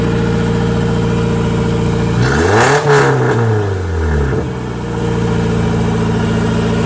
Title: Yes, it's got rod knock